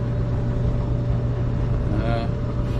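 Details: Clothes dryer after replacing corroded, fried plug and power cord that stopped it powering up: smooth even low hum with steady tumble, no knocks, squeals or rattles; running normally and heating well.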